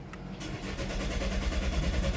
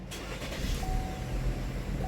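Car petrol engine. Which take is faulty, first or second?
first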